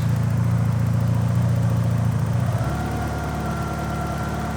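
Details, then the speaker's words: Porsche 944, US spec automatic, warm idle after adjusting the idle screw: jumper removed so the idle stabiliser takes over, revs step up slightly and settle smooth and higher; possible vacuum leaks unconfirmed; idle speed rise. "okay it jumps a little bit I will say this that I'm not 100 sure if I have any vacuum leaks or anything so that's obviously going to affect idle as well"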